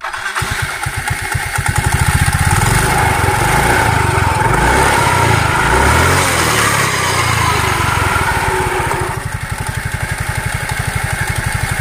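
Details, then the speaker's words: Yamaha Mio M3 scooter running with the CVT cover removed: coarse, gravelly rasp over the engine beat, unchanged from before, also rough when turned by hand. Suspected pulley bearing or final drive gears, not confirmed. "ternyata suaranya tetap kasar ya enggak ada perubahan dari suara awal dan ini coba saya putar seperti ini suaranya juga Kasar banget ya"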